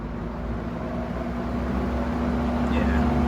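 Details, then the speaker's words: Vintage Manning Bowman box fan on high, leaned forward: steady low motor hum with an even whir; it only keeps running when tilted, with a loose motor shaft; owner suspects bearings were reassembled wrong or a washer is missing. "now it runs so i'm wondering if maybe there's supposed to be some kind of washer or something right there"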